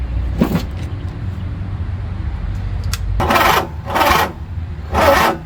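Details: Three short bursts of starter cranking with an uneven churn on a 20 hp Briggs & Stratton mower engine that sat roughly five to eight years, with WD-40 sprayed in as starting fluid; it never catches. Possibly a bad starter, cause unconfirmed.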